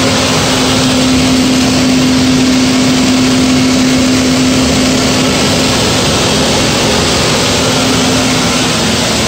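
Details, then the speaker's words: Power gas steam boiler burner with a new 24-inch barometric draft regulator on a ganged flue connector, switched to manual override: relay click, then a steady, even blower roar through the roughly 90-second purge cycle before low and high fire; normal burner purge. "you'll hear the relay click the burner will start its purge cycle which is about a minute and a half and it will start low fire and go to high fire"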